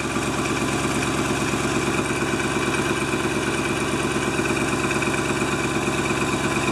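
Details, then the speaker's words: 1997 GMC Suburban at about minus 6 degrees, just after fuel filter replacement: starts quickly despite no fuel in the lines and settles into an even, steady V8 idle with no misses or knocks; normal idle. "So it's going to take a few cranks now to start up because it's got no fuel in the lines. Okay, that came on pretty quick."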